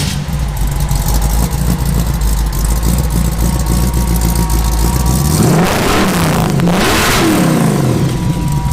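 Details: 1953 Willys Aero Falcon gasser dragster, supercharged V8 on 100 octane fuel, fired up: deep, lumpy idle swelling into two sharp revs and dropping cleanly back each time; healthy start and rev.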